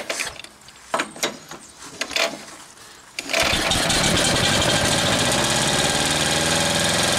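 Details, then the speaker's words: 1938 Caterpillar D13000 diesel, not run in years, water found inside: a steady, even churning at about three turns a second with no firing; oil pressure comes up fine, but the injector pump gives no pressure, cause unknown. "all right got it rolling over good better run a while uh oil pressure comes up good there's no problems there"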